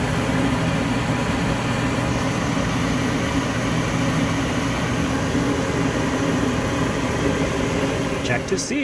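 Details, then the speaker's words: Goodman GKS9 high-efficiency gas furnace fired up after a DIY fix for water leaking: a steady low rumble and even hum with no surging, popping or rattles, running smoothly. "reinstall the bottom panel we switch it on automatically you can lift the top open and watch the flame ignite that sounds exciting isn't it get the marshmallow ready"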